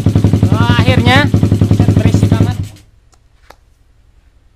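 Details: Single-cylinder with PWK 38 carburetor and trimmed pilot jet, no cable-strand shim: muffled thump, about four even beats a second, holds steady at idle without hunting, then shuts off cleanly; low-rpm carburetion sounds right.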